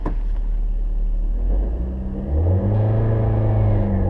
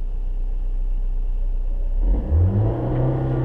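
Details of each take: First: Manual-transmission car taking off in first gear with the clutch slipped wrongly: engine rumble labours and droops as the clutch takes up instead of rising, a bogging takeoff. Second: Manual-transmission car pulling away from rest: quiet idle, then engine note rises gently and evenly as clutch is released slowly with light gas, no bogging or judder; smooth clutch takeoff.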